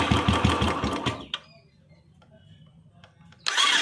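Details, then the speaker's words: Royal Enfield Electra 350 in neutral: electric starter whirs in quick bursts with no compression beat or firing, engine not turning; slipping starter clutch (self bearing), clutch cover to be removed after draining engine oil. "अब देखिए जैसे हम bike को self दबा रहे हैं, self को run कर रहा है लेकिन, देखिए सेल्फ रन कर रहा है लेकिन इंजन रन नहीं कर रहा, सेल्फ सिर्फ और सिर्फ सेल रन कर रहा है।"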